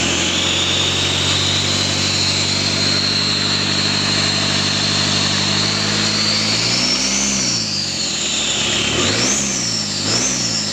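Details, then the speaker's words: Mitsubishi Strada Triton 4D56T turbo diesel, rebuilt after overheating, now installed in the truck: steady idle with a light turbo whistle, clean throttle blips; sounds normal, slightly coarse since injection pump and nozzles weren't serviced. "mesinnya udah hidup dan udah kita pasang di Mobilnya di sesi tanya-jawab kita pemasangan Cup juga akhirnya yalur audisi Niki bunyinya udah normal"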